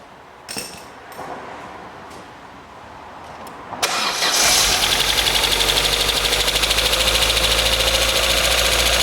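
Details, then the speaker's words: 1997 Opel Astra after timing belt and water pump replacement, fresh oil: cranks and catches, then idles with light steady ticking about three times a second; tappet noise, owner not worried yet. "I said you can hear that tappety noise but I wouldn't worry about that yet"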